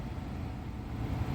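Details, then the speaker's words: 2013 Dodge Charger R/T interior blower on speed one with heater on, after replacing blower motor and resistor (previously blew only on high): soft, even low air hum, no rattle or squeal; blower runs normally at low speed. "As you can see, it's on one and the heater is blowing. I'm just going to let you hear it."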